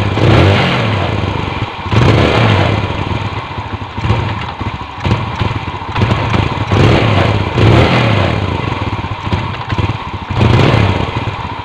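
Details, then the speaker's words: Yamaha New Vega R, hard to start in the morning, weak pull: uneven flat, breathy blips before service; carburetor found dirty, fuel filter also to be checked, carburetor then cleaned. "Nah untuk suara sedikit ngempos ya Masbro untuk mesin Masbro nah ini ngepost Masbro"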